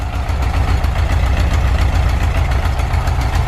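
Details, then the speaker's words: 1973 VW Bus, air-cooled, just restarted after a fix to the coil and fuel pump switch: a loud, low, steady thrum with even rhythm and no misses; normal idle. "first try too technically not first try but first try since we got the walking first issue worked out how you feel now that your bus started on its own"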